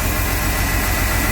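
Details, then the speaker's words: 1997 Chevy Blazer 4.3 V6, after replacing worn distributor cap and rotor for no-spark no-start: fires right up and idles steadily, low even rumble, no misfire; running normally. "after doing some testing so we didn't have spark bought the parts it's only like 65 bucks for the distributor cap and the rotor sure enough she fired right up"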